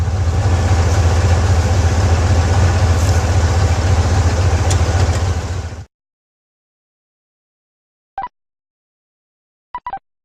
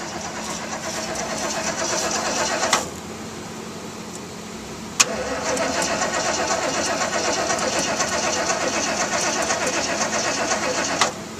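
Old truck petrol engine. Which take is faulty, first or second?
second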